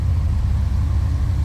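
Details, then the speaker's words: 1957 Chevrolet Bel Air 4-door sedan with fuel injection, cold start idle: deep steady exhaust rumble with even beat, no misses or ticking; normal cold idle. "that was a cold start so I wouldn't expect temp gauge to be up"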